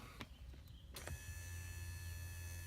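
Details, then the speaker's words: RV automatic entry step motor plugged into its harness and bench-tested; a few clicks, then a steady, even electric hum and clean whine as it spins freely; motor and servo turn fine, fault not yet found. "so the motors turning well if the motors turning and the servos turning I'm not sure what's the problem"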